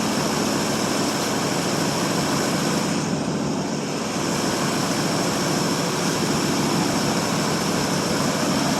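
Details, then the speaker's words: 1952 Ford Customline flathead V8 with dual glasspack exhaust, cold start after sitting a month or two, 12V jump pack on 6V battery, carb primed by hand: soft, steady, quiet burble at idle, no ticking or knocking; normal idle, probably non-adjustable lifters. "Let's listen to that old flathead just taking purr. Quiet as can be."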